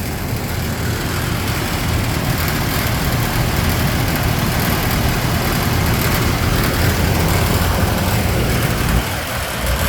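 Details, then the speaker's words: Parkade fan or air-conditioning unit makes a constant low drone with an uneven rattling, shaking vibration that never lets up; a second unit does it too, running from 1:30 to 5:12 am; source unclear. "but that rattling shaking noise that vibration noise at this the other one does it too"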